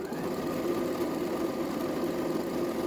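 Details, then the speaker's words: Used Janome 2030QDC computerized sewing machine before any lubrication, needing service: fast, steady mechanical clatter with dry, tinny edge over the motor whir; dry unlubricated mechanism needing oiling. "As you can see, sound of the machine without doing any lubricant. We will hear the sound after when we do the lubricant."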